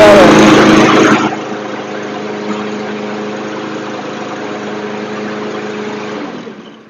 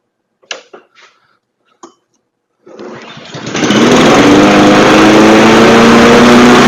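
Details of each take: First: Troy-Bilt TB220 push mower, 159cc OHV engine, after carburetor cleaning and recoil repair; pull start, then a smooth, even hum at steady moderate speed with no surging or hunting, running properly. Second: Craftsman push mower with automatic choke, after a carburetor clean and fresh premium fuel: a few clicks, then it catches and races at a high steady buzz; overspeed from a governor needing adjustment by bending the spring rod.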